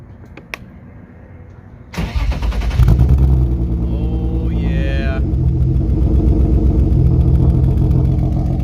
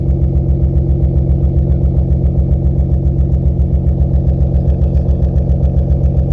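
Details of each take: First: BMW E36 start after fixing exhaust leaks: starter whirs about two seconds, catches cleanly and settles to an even idle with no exhaust ticking; muffler still suspected blown. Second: BMW E36 idling after exhaust leaks were fixed: loud, deep idle with a steady throb about four times a second, from a blown muffler; a new muffler is on the way.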